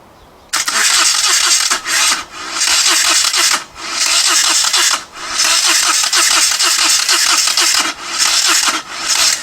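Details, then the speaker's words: Moto Guzzi twin, not run in over ten years, rebuilt carbs and new starter: starter spins engine briskly in long repeated bursts with steady compression pulses but never fires, not even a pop. "obviously not however I did notice that the new starter motor is now turning over the engine a lot quicker but as you can see there I didn't even get a pop or a bang"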